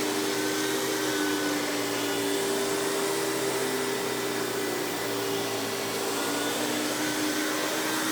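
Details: Hoover PowerMax Supreme 850 S3609 1990s canister vacuum, non-original hose, high speed with power brush on: steady high motor whine over even brush hum, no rattles or pitch wobble; runs very smooth though not the quietest; normal running.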